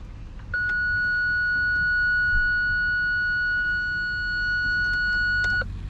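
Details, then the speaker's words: BMW E46 320ci coupe after replacing a faulty rear Parktronic (PDC) sensor: clean steady high beep held about five seconds over a quiet cabin; normal parking sensor warning, fix confirmed. "I hear it longer than 5 seconds, this beep noise. I'm just stopping the car. So it's working. We found the issue."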